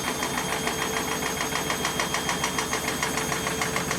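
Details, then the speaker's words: German washing machine spinning up after repaired dampers were fitted, with the cushions removed, on four feet. The drum's precession starts: a steady thumping pulse of about two beats a second over the motor whine, drum shaking noticeably, possibly critical. "Смотрим прецессию. Вот ее начало колбасить. Колбасит."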